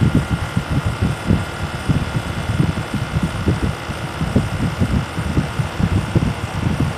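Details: SmartComfort heat pump running: steady hum with a faint high tone and soft low thumps repeating several times a second, a weird noise every few seconds; source unclear.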